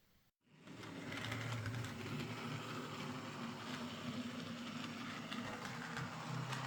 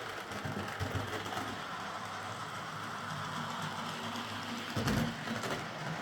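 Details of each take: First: Model locomotive, split chassis, after reassembly with a new motor (axles previously replaced), runs okay but with a rattly, uneven whirr and scattered clunks; the repairer blames split-chassis design and particularly dislikes this motor. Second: Model locomotive after a wheel setting was reset from 14.7 (which locked the wheels on curves and points) to 14.3, and its bouncing rear pony truck got a stronger spring and a limiting washer: a steady, even buzz with no catches or clunks.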